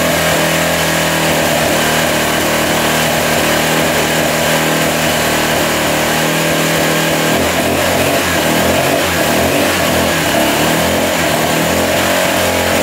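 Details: 1985 Honda XL600R single, sat a couple years, oil put down the cylinder, started on choke: loud bark revving and settling, a little ragged and flat, pulls weakly, smoking as oil burns off; consistent with low compression.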